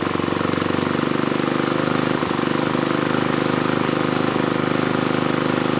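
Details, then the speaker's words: Mid-1980s Troy-Bilt Junior tiller, 3 hp Tecumseh HS35 engine (H35-45593R), after carburetor cleaning; pilot needle tuned, idle lowered to about 1,000 RPM. Quick, even single-cylinder putter holding steady low idle, no hunting or surging; normal idle. "it took a few poles to start but once it started it ran great you know I fine-tuned the pilot needle just a bit and then I brought the idle down really as far as I could get it which was about 1,000 RPM"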